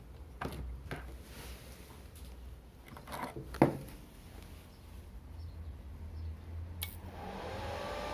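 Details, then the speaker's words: Strat 160KS welding inverter opened up, casing off (four fans, choke): low steady hum and a few clicks, then after about five to seven seconds the fans whoosh up to speed; normal delayed fan start. "включается С задержкой наверное секунд пять проходит"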